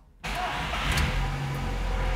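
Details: Fiat Strada 1.8 E.torQ after cam phase sensor replacement (was low power, check-engine light, code P0340): quiet, then fires at once and settles into a smooth, even run with no misfire.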